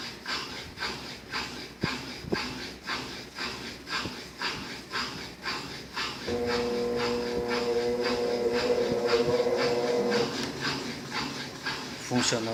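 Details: Brastemp 7 kg washer with heating, condemned by another technician, running after capacitor replacement (motor had been growling): even swishing pulses about twice a second over a smooth motor hum, no groaning or stalling; normal running.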